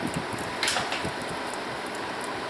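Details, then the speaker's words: 2012 Honda Crosstour cabin heater blower, which had not blown at any speed, after replacing the resistor: an even rush of air with light fluttering from shredded paper, no squeal or rattle, running on low then higher speeds; normal operation. "As you can see, it's going to work on all speeds. It's on the low speed. You can see the confetti flapping around and then of course as it goes up."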